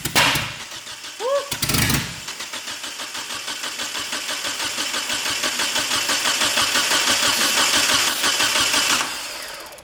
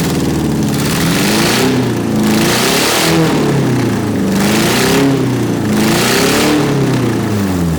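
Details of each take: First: Eagle Talon TSi, first start attempt with two gallons of fresh fuel: steady starter cranking with brief attempts to catch that never take; spark confirmed but no fuel, owner suspects injectors not firing. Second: 1991 Eagle Talon TSI AWD, first run after a fuel pump replacement, blipped about every second and a half. A loud, raspy bark with clean pickup and no misses or knocks: normal running and revving.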